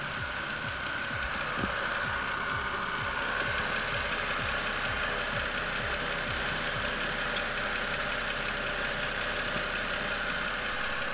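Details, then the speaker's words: BMW E92 328i petrol engine idling after a power steering fluid change for a cold-start whine: steady idle with an even low pulse and only a faint high tone left; whine nearly gone. "at this point the noise is almost completely gone and I'm checking around the vault for any leaks"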